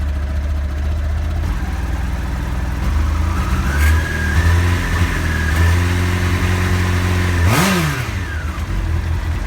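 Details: 1989 Honda CBR1000F fitted with 2014 CBR1000RR Fireblade stick coils, fine until a few days ago: four-cylinder revs up and drops back with a ragged, stumbling note when blipped, misfiring when revving; owner suspects it may need new plugs.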